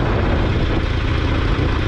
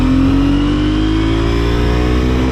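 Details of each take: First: Twin-rotor Wankel rotary motorcycle, still cold after a ride, fuel level unknown; steady, deep, slightly lumpy buzzing idle with even loudness throughout; normal rotary idle. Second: Twin-rotor Wankel rotary motorcycle, 5-speed, pulling away in first gear; smooth, slowly rising drone that abruptly collapses at about seven seconds as the engine cuts out for the second time; owner suspects crud from the fuel tank.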